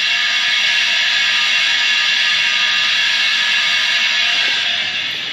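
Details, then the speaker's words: Homemade air compressor build, sealed tank being fed from a small compressor: steady loud hiss of air rushing in over the compressor's rapid chatter, no separate leak whistle, gauge climbing to about 25 psi; tank filling normally. "all right so i don't know if you can hear it but air is going into this tank now and our pressure gauge is climbing we're about 25 psi in there right now"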